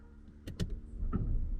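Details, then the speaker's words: Porsche 924: pop-up headlight motors, two short gritty, crunchy whirring bursts as lamps lift then quiet hum; one headlight apparently out, motors work but sound rough. "oh they're a bit crunchy um but they work"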